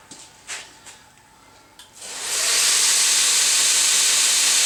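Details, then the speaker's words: DSM belt grinder spinning up then running: steady even belt hiss, not dragging, no slowing; slight stop and light rubbing from a gap mismatch (gap at bottom, none at top) that may need a small tweak. "So you can hear it's not dragging. There's a little bit of stop there. Might need to tweak that just a little bit."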